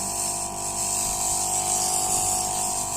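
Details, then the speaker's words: Refrigerator compressor running during pre-gas-charging check, discharge opened by hand: strong steady high hiss of gas escaping; hand can't hold it back, so compressor discharge pressure is very good. "देखिए leak हो रहा है, आवाज़ आ रही है, तो इसका मतलब कंप्रेसर प्रेशर बहुत अच्छा है।"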